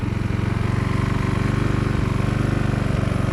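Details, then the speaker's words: Husqvarna walk-behind string trimmer, two-stroke, after sitting for years, now with a tune-up and new carburetor and warmed up: smooth, even idle of about four pulses a second. Normal idle. "all right all right sounds good let's try it out let's do some weed whacking here"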